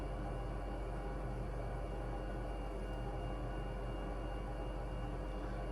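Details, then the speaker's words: Monitor GF 500 heater after the fix: it had been lighting then shutting down with a blinking burner status. Flame sensor cleaned, igniter taped where it arced, gasket replaced. Inducer fan kicks on, pilot valve opens, steady low rumble and even fan hum with no cutting out; normal burner operation. "so here we are the inducer fan just kicked on the pilot valve just opened we got"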